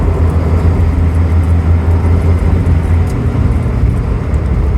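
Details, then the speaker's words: Suzuki Cappuccino EA21R with three-speed automatic on the highway; a steady low droning rumble over road noise that occurs only under acceleration and stops off throttle; owner suspects the U-joint, unconfirmed. "once I'm not accelerating it doesn't make that noise I had to slow down here there's bunch of cars but I hope you guys could hear that it's like this rumbling Brom noise um I'm thinking it might be the ujoint"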